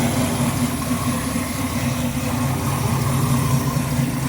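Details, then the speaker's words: 1955 GMC truck Pontiac V8 idling after intake manifold change, heard from front: steady even low rumble about 800 rpm, no knocks, ticks or squeals, new fan belt replacing squealing one, no exhaust leak; healthy. "She started right up the first time. Pretty quiet out here in the front."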